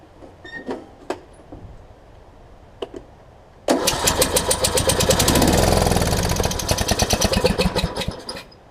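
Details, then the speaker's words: John Deere D110 twin after an engine rebuild, mock-up test with flywheel orientation corrected: steady, quick, even cranking for about five seconds, never fires; low compression from a head gasket leak, head to come back off. "all right i've got low compression here she can hear it it's trying to crank but it won't it won't fire for me yeah it's got a head gasket leak"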